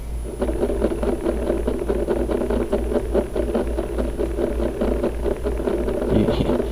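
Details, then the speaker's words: Orion DPL xx16G telescope azimuth slew motor at slew rates 1–3: fast buzzing whir with a sharp pop once per revolution, the motor physically jumping each turn; faulty azimuth slew motor skipping, causing non-smooth tracking. "you can hear it and actually when it skips it's it's physically causing the motor to jump okay let's go to slew rate one again every revolution is popping"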